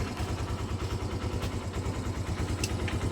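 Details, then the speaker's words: Barako 175 motorcycle, formerly hard to start because the dealer had set the carburettor fuel screw for emissions: after carb tuning it starts with one kick and idles with an even single-cylinder thump, about three beats a second. "Madali na siyang paandarin kaysa kanina. Yan. Yan nakatuno ng kanyang karburador."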